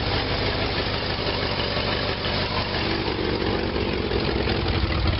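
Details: 1957 GMC/Wayne bus with a 1977 Oldsmobile 403, cold start at about 30°F after sitting a month: loud, raw, slightly uneven rumbling idle through an unfinished exhaust; owner suspects a weak fuel pump and low fuel.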